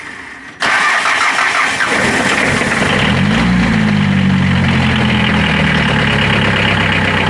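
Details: Mitsubishi L300 4D56 diesel after a no-start: starter cranks briefly, then catches cleanly into a steady, even idle; the fuel shutoff solenoid had power but had failed and would not engage, now fixed and starting normally.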